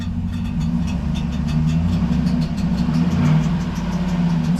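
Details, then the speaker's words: V8 daily driver hardtop, no fan fitted, idling: light, tinny intermittent ticking like a screwdriver touching a fan blade, louder on the passenger side and with throttle; a worn starter drive gear is brushing the flexplate. "it basically sounds like something's hitting the fan shroud and you can see we don't have a fan and it's kind of a tinny sound and uh kind of intermittent comes and goes"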